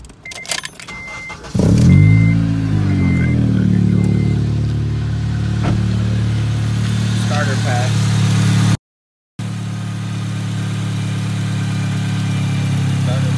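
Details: Acura RSX with a P2500 alternator code and a good battery testing 410 cold cranking amps: a couple of beeps, a brief crank, then the engine catches and settles into a steady, even idle; the alternator measured about 14.5 V.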